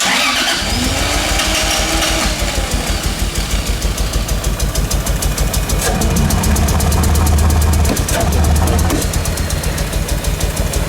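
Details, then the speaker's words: Turbo 2JZ-swapped Nissan 240SX, started without ether, idles lumpy, pulsing about three times a second as if on only two or three cylinders; turbo sounds tight; misfiring. "Turbo sounds tight. It's just like it's almost like it's like not running on. It sounds like it's running on like 2 or 3 cylinders."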